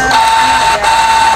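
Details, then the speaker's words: Canon iP2770 printer that powered on briefly then died, after repair: steady mid-pitched carriage motor whine, pause, then again; moves smoothly, no error, error light off; normal carriage motor running. "uh sudah bisa jalan ya dinamonya perhatikan Oh berhasil ya saudara-saudara kita berhasil sudah tidak error sudah tidak mati"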